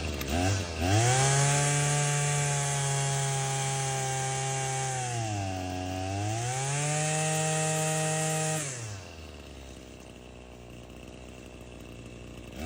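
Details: Husqvarna 525L two-stroke after replacing a bad gasket behind the carburetor, which had caused high idle then stumbling: revs up, holds, dips and climbs back smoothly before dropping to idle; runs fine, though the carburetor may still need tuning.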